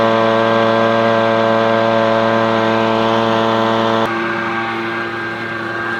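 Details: Echo PB-250LN two-stroke leaf blower at full throttle after opening the hidden high-speed carburetor screw under a brass plug below the primer bulb: loud, steady high-pitched buzz with no surging or bogging; runs faster and stronger than before.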